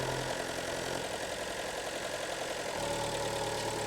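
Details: Fiat Grande Punto 1.4 T-Jet (same engine as the Alfa Giulietta 1.4 T-Jet), cold engine at fast idle during a PCV valve check for oil consumption; busy, steady hum with no knock; oil filler cap only very slightly sucked in; normal.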